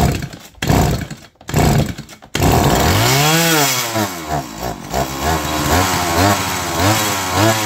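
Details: Stihl MS170 chainsaw with no-start complaint, found out of fuel, primed with external fuel: three pull-start bursts, then it catches, revs up and down and settles into even two-stroke idle; running normally.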